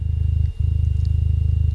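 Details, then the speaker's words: 300 W RMS subwoofer, amp confirmed fine: a low, fast pulsing buzz under the bass. Debris is suspected in the voice coil gap, making the coil rub. Still buzzing, less so, after blowing it out with compressed air. "now the reason the voice call is rubbing against the magnet is probably cuz a piece of or something got stuck inside the um Gap"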